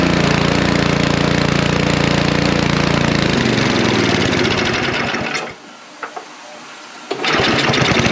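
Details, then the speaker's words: Snow blower just after its carburetor was cleaned, engine cold and carburetor not yet adjusted: small single-cylinder engine catches with an even putter, drops out briefly, then picks back up and runs; slight hunting put down to the cold and untuned carburetor. "what's up homie oh it's going bud oh that's a good sound yeah we're nearly there she wants to go"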